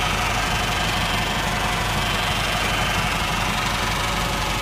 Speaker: Otras veces se podría escuchar un ruido metálico en el interior de la transmisión, pero no es ahí el problema, sino es del convertidor par, precisamente en la parte interna el valero de agujas.